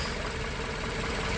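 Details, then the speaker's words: Volvo 740 with new cambelt and ignition module, warm while idle and timing are set: a steady, even low hum with no misses or knocks at just under 1,000 rpm before cutting off; a normal idle. "Right. So, I'm just setting up the idle of the car. So, you got the little stop screw in there."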